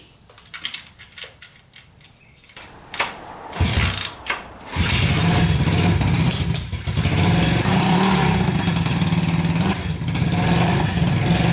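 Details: Barn-find Honda CB350 twin (listed as 1970 or 1974), revived after years sitting, oil checked half-full and clear: a few cranking bursts then a steady, even idle with both cylinders firing, both pipes hot.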